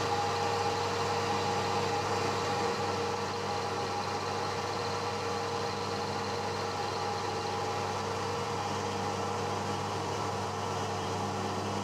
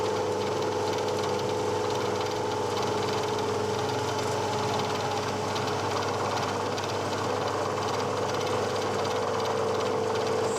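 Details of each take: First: One-inch slot drill in cast iron, slowed from about 500 to 200 RPM: steady, low machine hum with a faint, even tone and no chatter or squeal. Smooth milling cut. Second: Woodruff cutter slotting a malleable/cast iron base, full depth, spindle at about 500 RPM versus the chart's 267 RPM for a one-inch slot drill: steady metallic ring over rough buzzing cutting, chatter from excessive speed.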